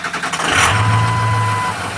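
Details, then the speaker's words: 2004 Ford F-350 6.0 diesel at about 190k with new injectors and oil cooler and an EGR delete, cold start after sitting overnight on a chilly February morning with glow plugs: a short crank, then it catches quickly and settles to a steady idle. Normal cold start. "it's not terribly cold out it's a little chilly but truck's been sitting all night so fired up"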